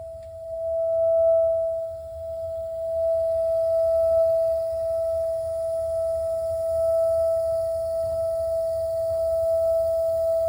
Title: A.O Smith water heater noise problem